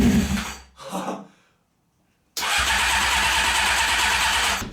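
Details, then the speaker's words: Honda CBR600 with the choke on and starter fluid sprayed in: the starter spins, pauses, then cranks steadily but it never fires; shorts were later found in the coils and wiring. "yeah you can tell that it really wants to fire up and if I'm not putting that much starter fluid in here"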